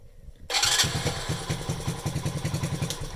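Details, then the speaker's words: Delta moped that wouldn't start and backfired into the muffler, after the faulty commutator was fixed: catches first try and settles to a quick, even popping idle with no backfire or misses; normal start and idle, though it smokes (worn rings). "На даний момент вона заводиться."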